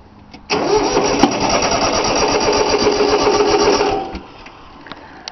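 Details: 3-cylinder Yanmar diesel cold start after glow plugs: even starter cranking, about four compressions a second for three seconds, never catches; air in unbled fuel lines, usually starts right up.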